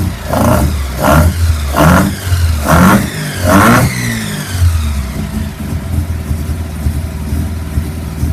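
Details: 1981 Mazda RX7 FB with stock 12A rotary, extractors and Weber carburettor: deep burbling engine blipped about five times, then settling to a steady lumpy idle, running cleanly without knocks or misfires; normal rotary revving.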